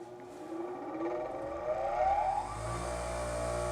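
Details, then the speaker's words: Bench grinder during four-run balance, trial weight at 120 degrees near the existing unbalance weights: whine climbs on spin-up, then heavy low drone and shudder, machine trying to walk; vibration 2.02 in/sec, severe unbalance. "trying to walk away, but luckily it's not. Yeah. 2 in per second. 2.02 That's pretty wild."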